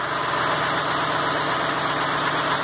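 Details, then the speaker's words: Ford F550 6.8 V10 running with top end open and no coolant, oil visibly flowing from galleys; after fouled plug found as misfire cause. Even, steady idle, busy valvetrain chatter from open top end, no miss on any cylinder. "Oiling well. No miss at all. I'm gonna have to tell you that's what it was, is that foul plug."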